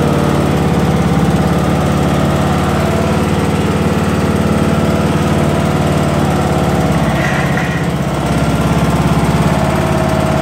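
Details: Lawn tractor drone with a faint metal scraping rub when accelerating forward or backward (not when pushed by hand in neutral); lower drive belt had slipped slightly off its track and was rubbing, fixed by replacing the belt.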